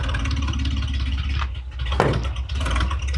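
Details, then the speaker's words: 1966 International 1100 pickup, idling about 300 rpm: slow lumpy idle with a light tick like an exhaust leak; tick traced to a rudimentary EGR-type fitting, improves when covered; ticking at idle. "if you listen to it it is now sounds like it's got a tick or an exhaust leak or something"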